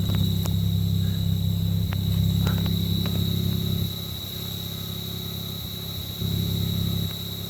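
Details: Cold engine at idle with a loud, thin, high-pitched screech that occurs when the clutch is engaged and goes away when it is released.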